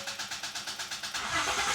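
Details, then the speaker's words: Car with a completely dead, known-bad battery jump-started using a TopVision battery jumper pack; the starter cranks evenly at about seven pulses a second, then the engine catches and settles into a steady run: normal cranking and starting. "that was from completely dead. This battery is bad. I've known that I've had to change it."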